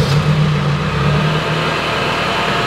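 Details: K20 turbo-converted Honda Integra DC2 Type R revved with electronic exhaust bypass valve closed: steady even engine note, deep exhaust drone, no knocks or rattles; healthy, quieter run through the silencers.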